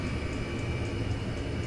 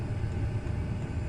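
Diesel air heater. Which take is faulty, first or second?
first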